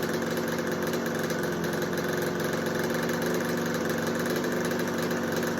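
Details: 1986 Kawasaki KX125 two-stroke, being sprayed around both sides of the carb to check for air leaks: steady, even idle that holds speed with no rise, so no intake leak found; normal idle.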